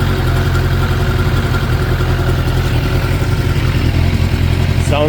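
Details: 2006 Suzuki GSX 600F Katana after carburetor cleaning, synchronization, float height set to 18 mm and throttle position sensor adjusted, air/fuel mixture screw setting guessed: smooth, even low putter at steady idle with no hunting; normal idle.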